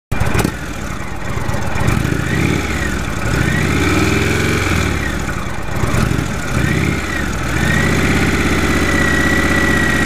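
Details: 2015 Indian Chief Vintage with the Thunder Stroke 111 V-twin, idling and revving; a clear high whine around 2 kHz rises and falls with engine speed. It is the loudest whine of nine TS111 bikes ridden.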